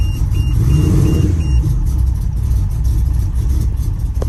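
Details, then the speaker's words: Nissan Maxima 4.1L stroker first start after JWT cams, ported heads and Holley Hi-Ram intake, warning lights on: uneven, lumpy idle with irregular low pulses under the chime; running rough, cause not yet known. "All right, so we at least got it started. Now we just got to work out the kinks with why it's running as rough as i"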